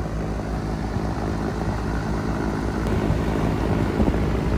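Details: Three-phase HVAC blower motor after both damaged contactors were replaced, running in unit test mode. A steady, full whooshing roar holds an even pitch without grinding or squeal; the blower runs smoothly at speed.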